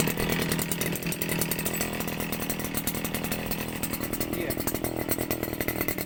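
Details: 55 cc two-stroke petrol brush cutter started with switch on, in normal setting: high buzzy note at steady speed with a crisp rapid exhaust rattle and no stumbling; normal running.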